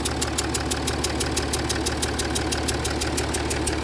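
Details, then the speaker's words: Jaguar XF S 3.0 diesel idling, smoke in cabin: sharp even chuff about three times a second rising with revs, fumes puffing at the injector base; injector seal compression leak. "Oh no, it's coming from below that. Sounds like it's coming from around the side of the injector."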